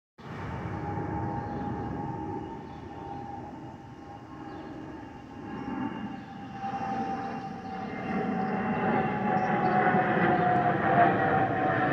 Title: Delta Airlines Airbus A320-212 N353NW DL2746 DFW-DTW (FOPP Whistling Sound)